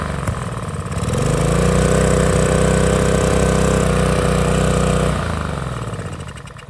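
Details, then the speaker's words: Small-engine pressure washer that revved very high with no throttle control, owner suspected broken governor; after repair it picks up to a steady even drone holding speed without hunting, then winds down smoothly; normal governed running. "back all right so I got my power washer back running up everything work works good"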